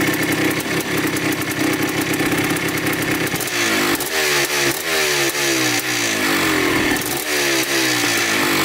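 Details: 1987 Yamaha YZ 490 two-stroke after carburettor rework for bogging: crackly idle, then quick blips where the pitch climbs and falls cleanly without bogging. The air screw is at 2¼ turns out, in spec, and it runs right after tuning.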